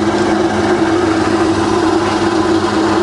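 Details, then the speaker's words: Rebuilt Bridgeport belt-drive milling machine after full service, quill power feed running and reversed: steady, even hum with a constant mid tone and no knocking or grinding; the quill feed knocks out fine. "okay so that knocks out just fine so we reverse the feed"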